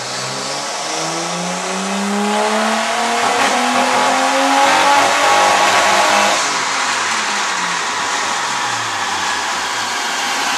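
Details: Nissan R33 engine revving up and back down with a rough, stuttering misfire, caused by incorrect NGK PFRG5-11 platinum spark plugs recommended by the parts supplier instead of the correct NGK Iridium IX BKR6EIX-11.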